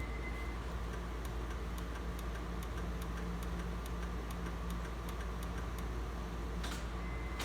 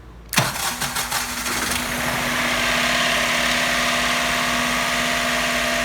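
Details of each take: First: Honda Insight with hybrid system not in place, trying the backup conventional starter by key: steady light ticking about three per second over low hum, engine never turns over; starter problem suspected, not confirmed. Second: Rare project car that sat many years, started with remote starter switch bypassing the computer: a few rough cranking bursts, then catches and settles into a steady, slightly noisy idle; starts and runs fine.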